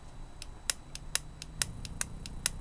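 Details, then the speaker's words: Bench test of a relay switching a 36 V motorcycle battery meter from the 12 V ignition: sharp crisp clicks about four a second as the relay turns on and off normally. "clicking since I turn the ignition on or make contact it turned the relay on the relay turned the light on from the other power supply"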